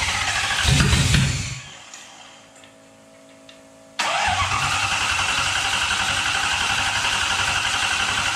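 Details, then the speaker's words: 1UZ V8 swapped into a Ford Falcon, start attempts, cold start injector not yet fitted: engine catches and roars briefly, dies to near silence, then fires again; starts but will not keep running. "we got the engine fire it up not really staying running right now we'll figure it out next time"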